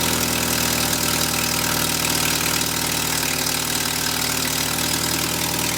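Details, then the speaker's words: 1979 Volkswagen Rabbit after replacing exhaust manifold-to-downpipe and downpipe gaskets to cure a loud exhaust leak: steady, even idle with no puffing or ticking from the exhaust; normal idle, leak fixed. "well alright guys we just finished putting all the bolts back together and the new gaskets are on so we're gonna fire it up and see if it's quieter now"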